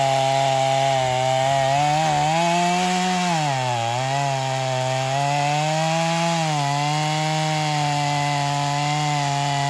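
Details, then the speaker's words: Stihl MS250 chainsaw test cutting wood after carb retune, tuned pretty rich for break-in; possibly slightly low compression but pulls strongly; high revs waver through each cut, sagging under load and recovering. "so we got the ms250 tested um I've got it tuned pretty rich and he's definitely going to have to bring it back a couple of times as it breaks in"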